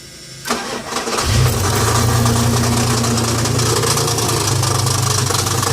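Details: 1990 Dodge Dakota V6 4x4 after a starter replacement that didn't help: cranks, then idles with a steady knock of about three to four beats a second, constant in neutral and park, stopping in gear and very light when coasting. Source unknown, front or back.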